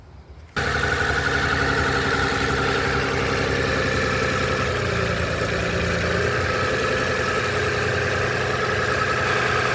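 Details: Engine (C: V6) idling with a slightly uneven, stumbling, lumpy beat, as if one cylinder drops out; a scan tool check reported a cylinder misfire and the coil is looked at; cause not confirmed.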